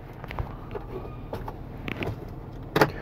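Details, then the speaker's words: Chrysler Town and Country / Dodge Grand Caravan minivan: quiet cabin, then a brief harsh electric buzz only when pressing unlock; sliding door lock actuator and latch assembly failing. "I'm talking about you go over here you go to the lock button and you do this unlock so you don't hear the noise and lot but you're hearing it unlock and ladies and gentlemen that noise is coming from let me let you hear it again it happens when I push the unlock button okay"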